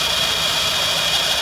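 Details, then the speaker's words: Nissan Pixo gearbox, cold: a steady high thin squeak over the idle that appeared with cold weather after a new clutch was fitted with the old pressure plate; owner suspects the input shaft bearing; squeak when cold. "чуєте скрип іде на первичноному валу"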